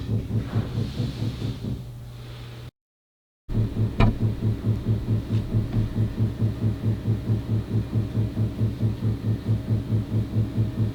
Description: This is a very loud banging noise that just started 3 days ago. It happens sporadically, and typically lasts about 1 minute or so.